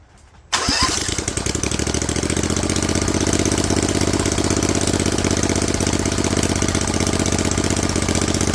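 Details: Rebuilt Vanguard 16HP V-twin with a 23HP carb, open air filter and header, restarted with the spring back in place: cranks, catches within a second and holds a steady, even idle with regular firing pulses. Normal idle.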